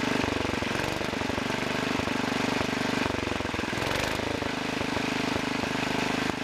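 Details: Two-engine Wheel Horse garden tractor, both engines running with carburetors not adjusted in about 5 years: an uneven puffing miss, as if one engine is missing. Main jet mixture needs adjusting.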